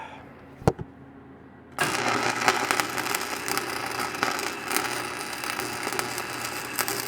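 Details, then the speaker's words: Stick welder running 5/32 AC/DC 7018-type rod at about 150 A (rod rated 140–180 A), repairing a box blade; arc strikes into loud steady crackling sizzle with sharp pops; owner suspects welder burns hotter than it should. "and I still think this welder Burns hotter than it's supposed to now I might be wrong but you guys let me know what you think when you hear it"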